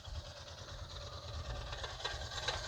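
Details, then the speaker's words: 2006 Honda Foreman Rubicon ATV, cold idle: a low, uneven rumble with faint sharp ticks from inside the engine that go away once warmed up and the oil is up to temperature; the cause is unclear, possibly the valvetrain. "as you can hear from inside the engine there but that does go away after it's warmed up and once the oil is up to temp"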